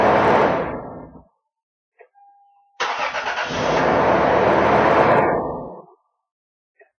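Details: 1996 Toyota 4Runner after repairing the clicking starter's solenoid contacts: a brief crank, then the engine catches and runs smoothly before shutting off, starter engaging normally.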